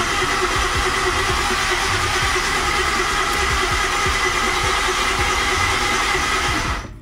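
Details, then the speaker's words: 2010 Ford Taurus 3.5 with a crank/no-start: the starter spins fast and even with no firing and no labouring between strokes, sounding like no compression. "and that sounds almost like it has no compression so I'm going to pull a compression tester and pull spark plug"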